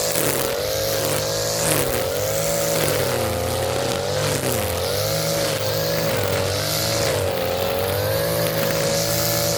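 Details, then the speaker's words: Echo SRM-230 string trimmer that sat unused for years, running after a carburetor replacement while cutting weeds on a hot day: high, steady two-stroke whine that dips and recovers smoothly under cutting load, with no misfire or stumble. Normal running under load. "Back from the dead. You would have never thought this would turn back on as bad as shape it was. Man, that is crazy."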